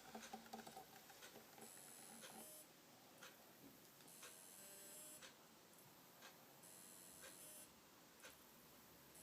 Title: WD My Live Book (NAS) drive making strange Noise